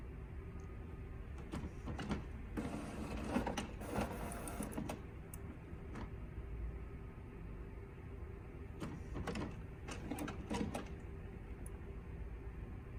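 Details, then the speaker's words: HP OfficeJet Pro 8100 running level 2 printhead cleaning (power held, X twice, paper twice); quiet motor whirring in spurts with clicks and carriage swishes, a normal cleaning cycle. "You can wait the same way. You can hear the same sound. Just wait."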